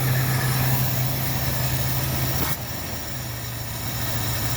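Steady, even V8 idle with a smooth low rumble and no knocks or misses; the engine sounds healthy.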